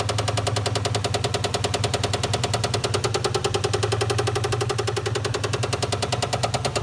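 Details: 1997 Mustang GT 4.6L 2V running with valve cover off to inspect valvetrain: fast, steady tick-tick-tick about ten per second over idle; engine knock from top end, cause not yet found; crank turned freely by hand.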